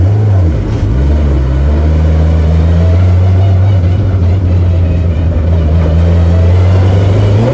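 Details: 1120cc prototype engine with 35mm big-end pins, light small motorcycle pistons and rods, clutch slipping; crisp clean blips climbing and falling quickly, steady tone, no knock or rattle, a normal free-revving engine.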